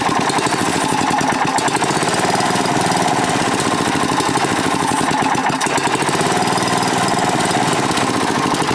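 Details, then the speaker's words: Manco Rattler II go kart, small single-cylinder engine, cheap nine-dollar carburetor; idle searches and won't settle, hunting idle from air leak past the carburetor's worn, loose throttle shaft, which also floods it initially. "all right so can you hear it searching well let me show you why the nine dollar carburetor is nine bucks"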